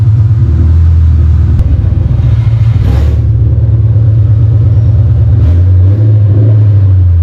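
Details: 4.6 V8, run on long-tube headers with no exhaust: deep loud uneven open-pipe rumble idling and blipping up a couple of times; sounds nice, normal running.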